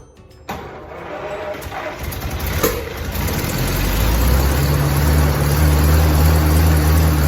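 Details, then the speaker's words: 1927 Stutz AA, 95 years old, not run in 40–50 years, gravity-fed carburetor, second start attempt: brief cranking, then catches into a steady, low, even rumble of about three beats a second; starts and idles cleanly. "Well, there we have it. It runs. 95-year-old car. This thing hasn't ran in somewhere between 40 and 50 years."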